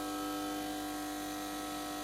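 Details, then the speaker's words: Steady, unchanging buzz with hard hum from an HP 8901B modulation analyzer on 230–240 V mains whose display flickers and fails to start; power supply fault, capacitors suspected gone, no smoothing, AC coming straight through. "but it does sound like a power supply problem sounds like caps are gone it's just no smoothing"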